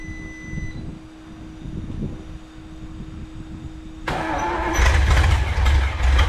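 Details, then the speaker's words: 1954 Chrysler 331 Hemi sat in a salvage yard 50+ years, hot-wired: weak steady cranking drone, then abrupt loud rough firing that never settles into idle; owner suspects too much fuel pressure. "Try something here. I had to try before. Might be too much fuel pressure."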